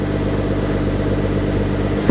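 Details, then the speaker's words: Holden VE SV6 60th Anniversary, 3.6 L Alloytec V6, warm, idling through its newly fitted stainless exhaust: a steady, even low rumble with no knocks or misses. Healthy, quiet normal idle. "So when you're just driving around normal, it's just, you know, nice."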